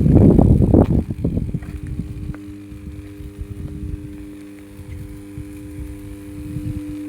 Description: 400/220 kv substation 500 mva transformer humming sound ....